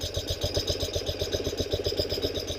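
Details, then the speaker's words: 1974 BMW R90S airhead, warm idle after new breather valve install: even idle with rapid burbling flutter about eight per second from vibrating soft-metal flapper, installed upside down; crankcase breather flapper valve gobble. "And that little flapper is what's making our noise. And you can see it vibrating."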